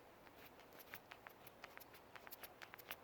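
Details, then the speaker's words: BMW 740i anti-roll bar drop link, possibly original Lemförder, worked by hand next to the microphone: irregular clicks and knocks from a worn, loose ball joint that caused banging over bumps. "I'm hoping you can hear that. Shouldn't be making that noise, and it is just way too loose. So that is why it was banging away every time I was going over a bump"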